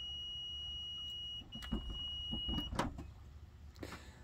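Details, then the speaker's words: Toyota Venza power liftgate with a fault that seems to be at the lock: a warning beep, then an uneven hum with irregular clunks as the motor labours through a bad spot in its travel. "yeah there's a bad spot right in there isn't there"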